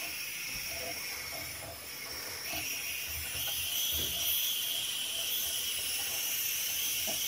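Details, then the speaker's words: Eagle 1.5 hp air compressor: constant high-pitched hiss with no motor running. It is one of two leaks, to be traced through the pressure switch and regulator; regulator seal air leak. "so the leak is right here this tube here when connects to the pressure switch well there's two of them yeah so when it's pumping this one is leaking and otherwise uh this one here does"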